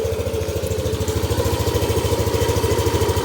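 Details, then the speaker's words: Yamaha Aerox SP at first 1000 km, just after first oil change, warming toward 80°C: smooth, regular idle with no ticking or rattle; stock oil had seemed noisy, owner unsure whether noise returns when hot. "ngayon parang wala. Hindi ko lang alam pag uminit."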